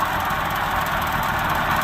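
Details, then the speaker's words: Subaru 360 Van two-stroke engine after cast aluminum piston rebuild, carburetor was gummed up: even, steady buzz with no stumbles, misses or surging, idle a bit too low; runs pretty good. "It's actually got a little bit too low of an idle. I want to keep it going. That runs pretty good."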